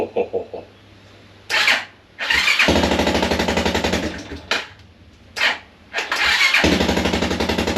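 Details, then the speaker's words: 1987 Suzuki Quadrunner 250 ATV after replacing faulty pickup coil (no spark, no start) and refitting repaired stator cover: cranks, catches with fast rough putter, stumbles and cuts out twice, refires each time; engine starts and runs. "All right. Well, she runs. That's great news."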